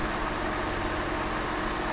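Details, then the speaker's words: Mercedes SLK350 with about 215,000 miles, started after radiator/condenser replacement: smooth even idle, steady low hum, no knocks or ticks; sounds healthy, though smoke then appeared and owner worries about air in the system or a head gasket. "let's see what the engine's doing she sounds great doesn't she i mean she really does for 200 and what did it say 15 000 miles"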